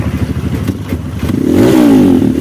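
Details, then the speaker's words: Kawasaki KLX 150 BF, bored up, after replacing the electric starter one-way clutch rollers to fix a slipping, rough starter: pops at idle, then revs up cleanly with a steady rising and falling note; starts easily, starter no longer slips or sounds rough. "ya sudah tidak ngelos lagi sudah tidak kasar lagi"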